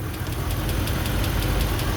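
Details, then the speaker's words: Dodge Ram (engine still running after a jump start) at warm idle: a sharp, even tick about five or six times a second, still there 5–10 minutes after startup; mechanic suspects an internal valve train fault, possibly a lifter, and says it's not the typical Hemi tick. "Yes, I heard it when I first started up, but 5 10 minutes later, it's still there. You know what I mean? It's internal um valve train. Could be a lifter."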